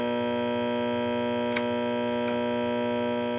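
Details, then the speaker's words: Late-1965 Epiphone EA-32RVT Comet tube amp humming, steady buzz with layered tones; comparing power-filter-capacitor ground clipped to transformer center tap with and without, only a minute noise reduction when connected; reverb-related grounding noise. "There's a minute difference in noise, lessens the noise when this is hooked up."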